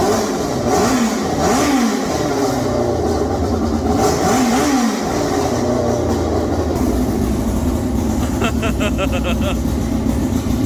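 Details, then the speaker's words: Formula 4 race car after fuel-leak fix, very loud: sharp crisp revs rising and falling cleanly, then an even high-pitched run with steady firing, no stumble or misfire; normal revving. "That thing's like crazy loud. Yeah, that's the way you think. I think it's awesome. Okay, so we're about to share the sound of an angel with you right now."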